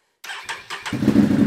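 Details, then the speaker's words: Can-Am Renegade 1000 ATV after replacing the starter solenoid/relay (ignition fuse had kept blowing, no start, no power; it had cranked very slowly): three brisk cranking bursts, then it catches and settles into a steady idle, a normal start. "I demonstrated on those startups there it's firing rate up like it's supposed to"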